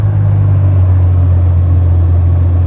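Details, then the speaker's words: Jeep Wrangler YJ after rewiring and fuel/cutting-out repairs, warm at about 210 on temp gauge, restarted: deep, even low rumble, no misses, stumbles or knocks; thermostat or electric fan suspected as it should run warmer. Normal idle. "So right at 210, and actually, fired right back up, just like it should."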